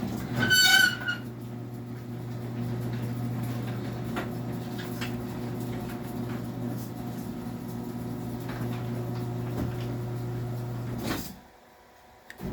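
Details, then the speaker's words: Craftsman belt-drive garage door opener: short, sharp high-pitched screech as it starts, then a steady low motor hum until it stops; cause of the screech unknown. "So just come over here and I will I'll run that Craftsman down so you can hear the difference. And disregard the loud screech it makes, I don't know what's causing that."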